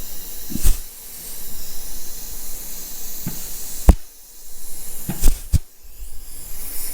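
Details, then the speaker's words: Dodge Ram 48RE transmission from a 2004 Ram 2500 5.9 Cummins, low-mile rebuild moved into another case: air pressure test before fitting valve body, hiss bursts each ending in firm clutch clunk; normal engagement. "All right, I'm going to do a pressure test real quick. Make sure all the clutches engage."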